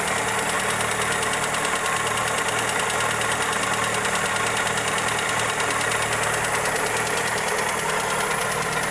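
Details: Toyota Corolla EE90 with 2E engine at steady idle: light, uneven tick riding over the engine note; valvetrain or connecting rod suspected, cause unconfirmed.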